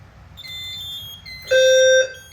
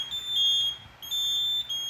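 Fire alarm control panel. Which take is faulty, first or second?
second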